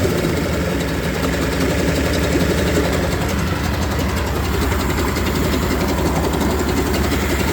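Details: Yamaha 30hp three-cylinder two-stroke outboard, cold and on choke, all compressions 110: steady but uneven, stumbling idle after previously running fine; plug drop test to follow; rough running idle.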